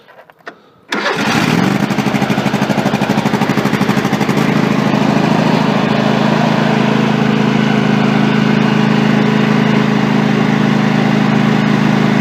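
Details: Craftsman 3000 GT series rider, Kohler 23 hp engine, after replacing starter that only clicked: brief crank, catches right away and settles into a smooth, even idle with no clicking or misfire; normal start and idle.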